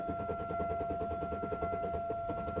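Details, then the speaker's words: 2000 Chevy Malibu with two-stroke gas mixed into the tank, new fuel filter and tune-up done, and the fuel pump seeming to work: the starter churns evenly at about ten pulses a second under a steady chime but never fires. It sometimes starts and then stalls. "it wants to start but it won't so there's two cycle gas put in it about a quarter tank of it"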